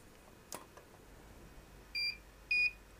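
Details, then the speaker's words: E400 and E800 studio flash heads fired at full output: two short high beeps about half a second apart signalling recharge complete, about 1.5 s and 2 s recycle; normal. "let's fire them and listen for the beeps when they're ready to fire"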